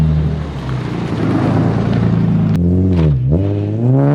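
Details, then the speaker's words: Nissan 350Z with a new ISR Performance exhaust replacing a raspy straight pipe, revved in an exhaust test; a deep, smooth note drops, then climbs cleanly through a couple of blips with no rasp or rattle; healthy exhaust. "But yeah guys, the Z sounds way better than that raspy straight pipe it had."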